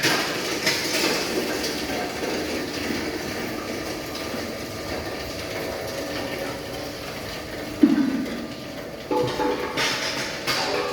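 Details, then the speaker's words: Hammer mill crusher with roughly 7–8 sieve screen crushing dried agro-waste (cocoa pod husk) fed one piece at a time. Steady, even rushing roar with occasional thuds; sound fades once material passes the sieve; crushing normally under load. "So biar bunyi dia sampai macam tak dengar macam tu, itu maksudnya dah lepas sieve lah."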